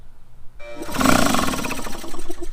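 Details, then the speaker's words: Air compressor on a Harbor Freight Jupiter 5000-watt inverter: compressor motor groans and tries to turn while the inverter beeps steadily; starting current too high, so the inverter overloads and the compressor can't start. "As you can see, you get a beep. It wants to start it, but it can't. It just takes too much current for an air compressor to start."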